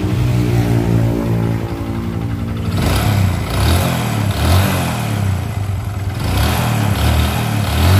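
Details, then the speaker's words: Honda Supra X 125 single-cylinder, rough-sounding engine: rattly idle turning to uneven revving with a hard metallic knock from the middle of the engine; a worn connecting rod. "ya suaranya ada di sebelah sini nih ada di sebelah tengah mesin dan ini salah satu ciri-ciri stang piston yang sudah kena"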